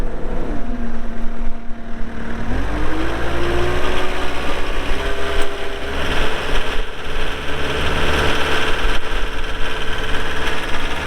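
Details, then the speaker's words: 2013 Caterpillar 246D diesel skid steer loader, 4,471 hours, started for an operational run: deep, even diesel rumble that settles to a lower speed after starting, no knocks or misses, smooth normal idle. "We'll fire it up and get right into an operational video."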